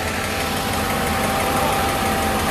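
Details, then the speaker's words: Engine restarted after restoration with good oil pressure, smoking as oil on hot parts burns off: steady idle with a faint, quick light tick; the owner suspects a hydraulic lifter that has lost its prime. "on entend un petit claquement quand même donc je pense que depuis hier j'ai un petit poussoir un poussoir qui doit être désamorcé"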